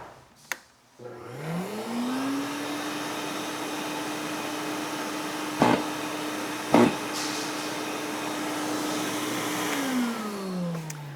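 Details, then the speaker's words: SurfPrep POV8 or PIV12 sanding vacuum: a steady motor hum broken by two sharp knocks about a second apart. This is the self-cleaning HEPA filter knocking dust into the collection bag, which is normal. "There is a self-cleaning HEPA filter inside your vacuum and that is what is knocking because it's getting the dust out of that filter and into the bag."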